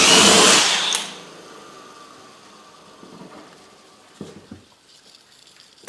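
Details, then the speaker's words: Used alternator from a Hyundai Genesis 2.0 Turbo R-Spec, spun by hand after replacing both front and rear bearings: smooth, even high whir and quiet coast-down with no chirp or squeak, unlike the earlier noise; healthy alternator bearings. "that's spinning over way way nicer it's not making that noise it was making before I don't know if you guys can hear that it's a lot smoother"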